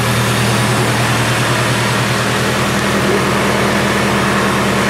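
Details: Nissan S14 Silvia just after first start with new power steering pump and resealed valve cover: even settled idle, steady low beat, no pump whine or groan; normal idle.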